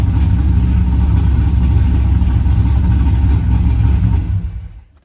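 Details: Corvette V8 together and running, pre-lubed with an AccuSump before start: deep even roar with clean steady revs, no knocks or ticks before shutoff; normal start and rev.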